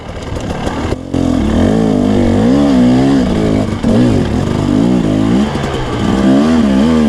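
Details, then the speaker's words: Two-stroke dirt bike with modified Mikuni carb and rejetted (Graham Jarvis specs) on test ride through technical section, one gear higher at quarter to third throttle: lugs cleanly at low revs, pitch following throttle, no bogging, stalling or laboring; carburetion sounds right. "I'm typically riding quarter to a third throttle in these technical section, so I'm pretty impressed the way it's just lugging and it doesn't sound like it's laboring."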